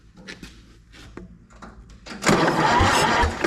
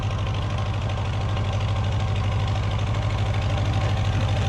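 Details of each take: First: Recently purchased auction Massey Harris 30 tractor: slow, uneven cranking about three strokes a second, then a louder churning spin. Cylinders 2 and 3 were dead; their valves were tapped free through the spark plug hole, but they stuck again on cranking. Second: Old four-cylinder Massey Harris 30 tractor after the oil was burned out of its cylinders: even regular beats with steady revs and no misfire; the fuel sediment bowl is leaking gas.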